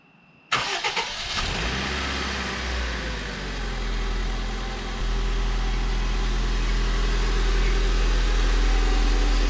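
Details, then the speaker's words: 2004 Honda Civic EM2 (D17) after timing belt and water pump replacement, first start with coolant not yet bled: short crank, catches cleanly, then settles into a steady even idle that rises slightly. Normal start and idle. "what's wrong nothing it started it's running um i gotta bleed the coolant the main thing is that it started hopefully it stays good"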